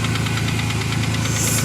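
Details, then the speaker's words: 1992 Ford Ranger idling in neutral: a steady, fast knock over a slightly uneven idle. Owner believes it is a wrist pin or lifter, blames Valvoline oil, and also suspects a vacuum leak; cause unconfirmed. "that knocking noise that would probably i i believe it's a wrist pin or a lifter i'm not sure which but i'm gonna have to replace it"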